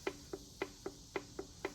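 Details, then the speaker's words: Ford 302 from a Mercury Cougar XR7 abandoned 19 years, run briefly without oil pressure after the oil pump locked: crisp light clacks about four per second as a rod is rocked by hand; all rod bearings worn with excessive play, plus heavy crankshaft thrust. "they all have a lot of play in them so i think this thing's just wore completely out in the thrust on it"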